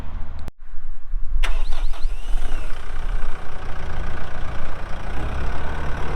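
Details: 2012 Kubota M8560 85HP 4WD cab tractor with front loader, only 381 hours: diesel catches after a short crank and settles into a steady, even low idle with no knocks or misses; normal, healthy start and idle.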